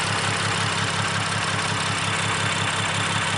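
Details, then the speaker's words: BMW M235i with newly installed coils and spark plugs broke down leaving a car meet: rough lumpy idle, uneven pulse under twice a second, shaking; hard misfire, owner suspects high pressure fuel pump, coils or new spark plugs. "But basically, it's misfiring dumb hard. Every time I touch the throttle, it literally shakes."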